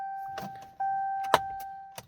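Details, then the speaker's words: 2021 RAM 1500 Limited won't start or turn off, head unit dead: thin steady electric whine with a few clicks when trying to start, no cranking or firing; cause unclear. "You can hear that little electric sound."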